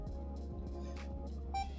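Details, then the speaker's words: BOBLOV F2 2K body camera: a short press of the function button gives a single short high beep over a steady low hum, confirming audio recording has started. "short press function you it turns on the microphone the audio record"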